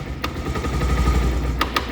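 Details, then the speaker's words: Bajaj Pulsar 150 idling: sharp metallic knocking over the engine thrum, from worn magneto (flywheel) bushes. The title calls it a one-way clutch sound; if left unfixed, the magnet plate could break and the engine seize. "यह वाली जो इसमें आवाज आ रही है हमारी इस bike के मैगनेट के बुश खराब हो चुके हैं इस खटखट की जवाद आ रही है"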